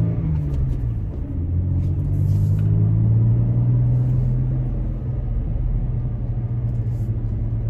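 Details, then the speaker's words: Toyota Tacoma on aggressive off-road tires, inside the cabin at about 25 mph on a subdivision street: low steady engine and exhaust rumble with no audible tire hum or roar. Normal, quiet tire noise. "not much to hear pretty quiet inside the cabin just driving I'm going actually about 25 right now and I don't really hear any noise from the outside"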